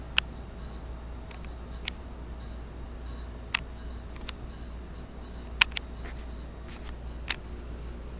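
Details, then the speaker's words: 2008 Goodman heat pump outdoor unit during defrost, under warranty: sharp, irregular ticks about once a second over a quiet low hum. The owner, who had never heard it defrost like this, says the ticking comes from the compressor. "I've never heard it defrost like this. With that ticking. And that's coming from the compressor."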